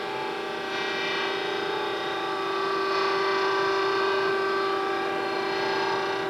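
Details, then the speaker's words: Winslomatic 100C automatic drill grinder, dressing the grinding stone: steady grinder hum with a faint light rasp as the dresser diamond just touches the spinning wheel, then backed off slightly. "I'm going to give it a little more I think you can hear it now I'm going to back it off a little bit"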